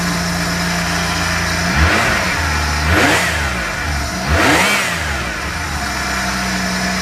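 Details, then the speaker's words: VN Commodore burnout project car just fitted with aftermarket intake pipe and pod air filter: steady idle, then two sharp blips rising and falling cleanly with loud intake roar; normal running, owner says sounds supercharged. "I made sure it's tight. And yeah, so now it's tight all the way. And this air filter sounds like supercharged in a way."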